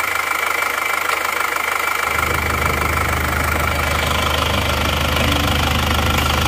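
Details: Isuzu Panther Touring diesel after overheating from running out of coolant on the toll road, starting with worn nozzles whose very low pressure was readjusted; catches after two seconds, settles to steady even idle clatter, no smoke, sounds smooth.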